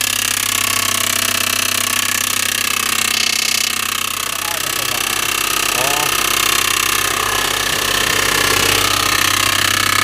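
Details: Audi A6 2.7T, used replacement engine, noise appeared after 50 km, aux belt removed: sharp, regular metallic ticking about three a second over the running engine. A backed-out engine backplate bolt, probably never torqued, was contacting the flywheel backside.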